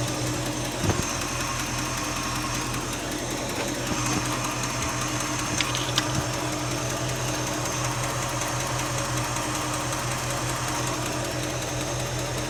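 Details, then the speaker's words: 1967 Mercury Cougar at idle, heard via stethoscope at the exhaust side: sharp fast ticking, loud at the exhaust with possibly a little black carbon at the edge; exhaust manifold leak. "I got some noise right here. That one's really loud. At the exhaust. Yeah, that's it."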